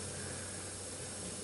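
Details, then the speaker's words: 1993 Chevrolet G20 van 5.7L, cooling system pressure-tested to 15 psi with engine off; steady even hiss of coolant spraying under pressure near the water pump; coolant leak. "Oh, I think I can hear it. Let me turn the radiator down. Oh, actually I can see it."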